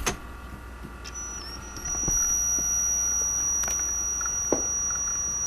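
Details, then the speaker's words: Samsung, Canon or Sony DVD camcorder during recording test: thin, high, steady squeal rising after a second over faint hiss; source of the noise unknown. "I'm also not really sure what's making that noise."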